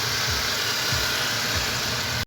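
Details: Nissan Kicks after replacing the faulty belt idler bearing; belt had been changed four months earlier without fixing the squeal: steady even idle with smooth hiss and no squeal or chirp, accessory drive now healthy.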